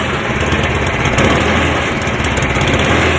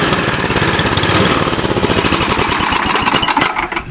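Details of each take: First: Cub Cadet 1030E snowblower, 10 hp electric-start engine, choke on, reduced throttle, in neutral, carb needs cleaning: loud, steady buzz at even speed, no knocks, misses or grinding; started easy, normal running. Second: Cub Cadet 1030E snowblower, 10 hp engine, carb stated to need cleaning: rapid popping beat that wavers and stumbles instead of holding steady; uneven running.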